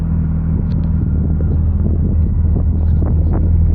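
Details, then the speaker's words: 2003 Mazdaspeed Protege with a Honda swap (F23 block, H22 head, GSR transmission) after the original FS engine blew, just fired up with no check engine lights: smooth, even, quiet idle rumble with a little exhaust tone, no knocks or misses. "Nice and quiet, has a little tone to it."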